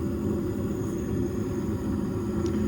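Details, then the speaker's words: Trane S9V2 furnace after circuit board replacement and its seized inducer motor freed by hand: steady even low rumble with faint hum, no scraping or rattle; inducer and blower running normally. "I hear the blower ramping up. Good to go. Either way, they have heat, and crisis aborted."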